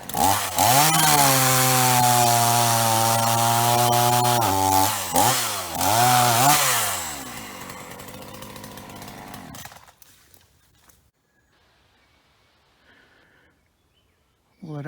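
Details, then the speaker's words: Ross chainsaw after repair and new heavy-duty vacuum hose, cutting dead privet: screams to full revs, holds clean even pitch as it bogs slightly into the wood, then idles and stops; healthy, no fluid leaks. "it ate all that up for breakfast. No trouble at all. And not leaking any fluids."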